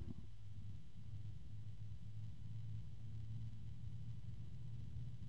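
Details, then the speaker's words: DeepCool/Logisys UF140-X SF140 140mm PWM fan spinning up to maximum: low steady hum with two different low tones at once plus a possible harmonic resonance; rotational tonal fan noise, source not pinned down. "and noisier I hear two different tones at the same time both are fairly low I hear another tone that sounds like it could be a harmonic resonance"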